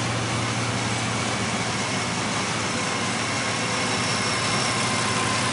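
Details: Car engine after throttle body cleaning, once the cleaner has cleared: steady, even idle with a smooth low drone and no stumble or miss, smoother than before; normal idle.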